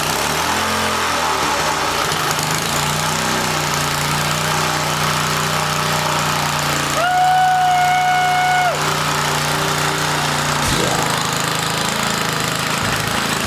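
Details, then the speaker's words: 1980 rototiller, small engine holding a high steady buzz well above normal idle after starter clutch tension adjustment; overspeeding because the wrong governor spring is fitted. "all right so we don't have the right governor spring and we need to fix that"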